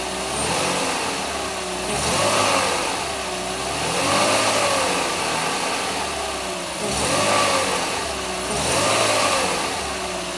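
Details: BMW E46 320i 150hp petrol engine revved up and down, odd noise between 1700-2400 rpm only when cold; disappears once engine reaches about 80 degrees.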